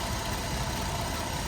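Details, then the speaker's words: GMC Acadia 3.6 V6 in a car bought whole at auction, started off a jumper battery: a smooth, even, low rumble at steady idle with no knocking and no low-oil-pressure light, so the engine sounds healthy. "this is the reason why I like to buy cars at the auction and not engines at the junkyard because you hear it it runs pretty smooth it sounds really good"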